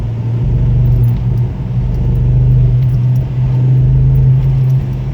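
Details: Ford Focus ST mk2 under heavy load: deep engine drone with an uneven, stumbling pulse. OBD showed a multiple-cylinder misfire on cylinder 1; fixed by replacing all spark plugs and the cylinder 1 coil.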